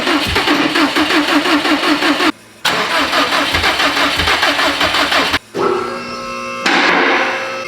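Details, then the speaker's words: Built Subaru STI engine on first start: even, quick starter cranking in bursts with a loud bang, never catching; timing sounded off because the passenger-side ignition coil wiring had cylinders 1 and 3 swapped. "Also, it wasn't starting earlier because, and you hear that loud bang, it sounded like it was mistimed. The passenger side ignition coil wiring is flip-flopped. So I had cylinder 1 and 3 flopped."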